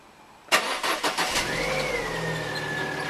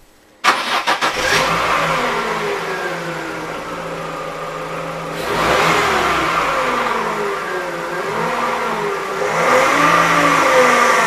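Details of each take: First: 1.6 car after replacing the humming used power steering pump and rack, fresh fluid: engine cranks, catches and settles to an even idle with no loud pump whine; new pump runs quietly. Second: Used Shanghai-built power steering pump on a 1.6 engine car: humming whine over running engine rising and falling in pitch, worn pump before replacement with new pump.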